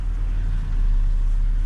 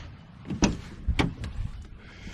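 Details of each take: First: 2010 Chevrolet Impala 3.5 V6 at idle after power steering pump replacement and air bleeding; reservoir no longer foaming, pump now almost inaudible with a low, steady, even idle and no whine or groan, occasional growl when steering remaining. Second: 2010 Impala with 3800 V6, driven into driveway: steady low growl under idle, steering barely turns, virtually no power steering, foamy fluid in reservoir; failing power steering pump.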